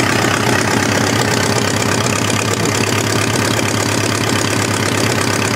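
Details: Homemade four-cylinder Briggs & Stratton engine after starter/generator replacement: a busy idle with a slightly uneven beat and an occasional skipped firing. Temperature-gun readings show one cylinder running cooler, which they think must be missing now and then. Uneven idle with occasional misfire.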